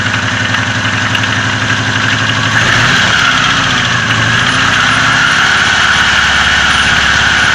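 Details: Lada Oka engine knocking at low revs: a faint, uneven tapping about four times a second over the idle. It has been present a long time, is growing louder and disappears with more revs. Valve clearances are normal. Cause unknown.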